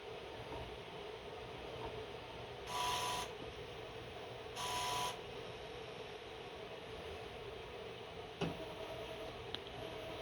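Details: Ultimate 3000 autosampler after power supply replacement, previously erroring and power cycling during self-test: two short, even motor whirs about two seconds apart over low hum, then light clicks; self-test running normally.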